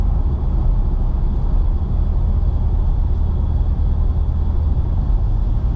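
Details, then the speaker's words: Nissan Xterra after rear differential replaced with a junkyard unit: road test at 60 mph, steady low rumble with no whine or howl on acceleration or deceleration; old diff was shot, new one healthy. "Oh yeah, it's so much quieter, so much better. That other one was definitely shot. This one's good."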